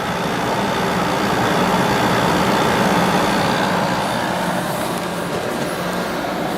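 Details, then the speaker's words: Window air conditioner with Sanyo compressor and General Electric fan motor, constant fan on high, running about a minute; steady airflow hiss with faint low hum, no rattles or knocks; very quiet, starting to get cold, running normally. "it's a very quiet unit starting to get a little cold maybe been running for about a minute at this point like I said very quiet even on high speed"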